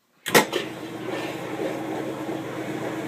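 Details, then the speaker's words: Kenmore 80 series direct-drive washing machine that wouldn't agitate or spin, after replacing the broken motor coupler: thud on engagement, then a smooth, steady low hum with no knocking or grinding; normal spin cycle. "I just threw it onto the spin cycle and here we go"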